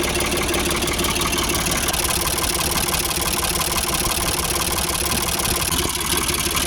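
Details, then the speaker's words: Ford 4600 tractor diesel after fitting a new injection pump, idle screw wound fully in: ticks over slowly and evenly at about 700 rpm, without stumbling or labouring. "It's ticking over at about 700 now, which I think is okay. It sounds alright. Doesn't sound like it's labouring or anything,"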